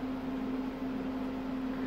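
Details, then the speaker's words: RV furnace installed in a cargo trailer, run off a Yeti 1250 solar generator: the gas burner has shut off at the thermostat and the blower runs a cool-down cycle drawing 29 W; a smooth, steady low hum with no rattle or squeal, a normal cool-down. "basically the gas shut [Music] off it's running a cool down cycle and that should shut off"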